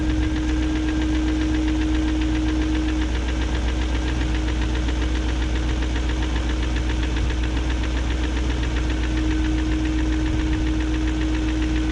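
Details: 2001 BMW E38 740i Sport V8 at steady idle: fast light ticking keeping pace with engine speed, unchanged after new timing chain, guides, tensioner and VANOS distributor gaskets; no codes; owner suspects VANOS unit failure, unconfirmed.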